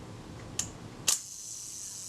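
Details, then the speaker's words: Kodak Retina Reflex type 025 camera during servicing, film release and shutter timing being adjusted. Three crisp mechanical clicks, one a quick double snap, with the film release tripping just before the shutter, the preferred compromise; timing sounds right and consistent. "the best compromise usually is that the film releases slightly before the shutter well that must have been pretty close that's still releasing the film before it gets to the shutter release"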